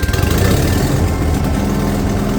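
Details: Vintage Kohler pancake-style twin-cylinder engine on a street sweeper, revived after sitting over 20 years with fuel system work, new electric fuel pump and points ignition: deep, even throb with no knocks or misses; running smoothly.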